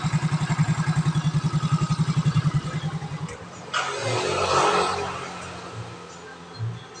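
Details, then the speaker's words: Yamaha Mio scooter that only clicked and wouldn't electric-start, traced to the starter motor: after the repair it cranks evenly and starts cleanly with no clicking. "Nah, sekarang mah normal ya. Enggak bakalan susah tuh. Enggak bakalan ada bunyi cetak-cetek lagi ya."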